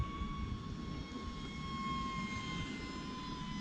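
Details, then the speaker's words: An E-flite UMX MiG-15 28mm EDF jet in flight gives a steady fan whine with a thin high beeping tone running through it. This is the low-battery warning signalling time to land. "You hear the beeping? That is signaling it's time to land,"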